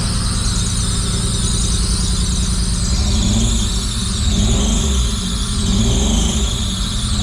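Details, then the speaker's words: 1985 Pontiac Fiero after fuel tank cleaning and fuel pump replacement, running on its own fuel: thin high squeal wavering in pitch over steady idle; small vacuum leak. "little vacuum leak a little Belcher"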